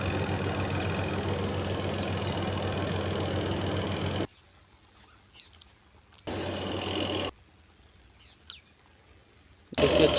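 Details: Whirlpool washing machine that was noisy from rust, after greasing the drum and buffer: a smooth, steady hum with no knocking, scraping or banging; wash and spin now running quietly.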